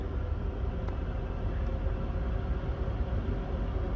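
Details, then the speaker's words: 2010 Toyota Tundra with a newly installed blower motor, on high: even, smooth rush of air with no squeal, rattle or grinding; the replacement blower runs normally and is not loud. "guys I'm gonna be honest with you that blower motor is not that loud it is not as loud as the comments made it to be all I hear is air blowing and it's working just fine um sounds good it's not too loud"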